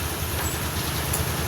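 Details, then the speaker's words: Honda Beat CBS scooter, hard to start: electric start very slow, kick start catches only after long kicking, then chugs with uneven low pulses and dies unless throttle is held; weak, unresponsive power, cuts out on the road. "Tapi ketika gas tidak kita tarik, motornya mati lagi. Kita engkol lagi. Ah, penyakitnya seperti ini."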